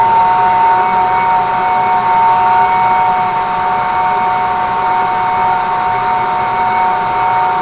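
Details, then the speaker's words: Small hair-dryer blower for a brake drum forge, run on a 24 V DC massager power supply with an on/off switch spliced into the positive lead, taped to the forge's blower pipe: steady high whir and airflow hiss, no rattles. Blower runs normally. "It's got a pretty nice stream of air. I'm hoping that's gonna work really good, because I mean, gosh, that's pretty cool what a little hair dryer can do."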